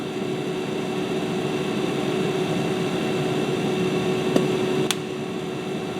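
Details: Webasto 90ST preheater on a Ponsse Buffalo, after disassembly and cleaning: steady, even whooshing burner roar with faint constant hum, no sputter or surging; running smoothly.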